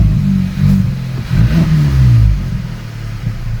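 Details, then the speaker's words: VW Polo 1.2 TSI R-Line after replacing throttle body, spark plugs and HT leads, previously rough idle worse when warm: revs blip and fall straight back to an even low hum, no missing or sticking; normal idle. "I think that no noise it's just the [Music] exhaust it's definitely not missing like it was and it's not sticking"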